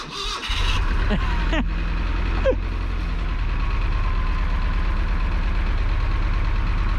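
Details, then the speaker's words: Junkyard Chevy Luv gas engine with a small lawnmower-style carburetor on an adapter plate, with some oil leaking: it catches after a short crank and settles into a hard, rattly low idle clattering like a diesel; cause unclear. "why does this sound like a diesel I don't think a gas burner is supposed to sound like a [Applause] diesel"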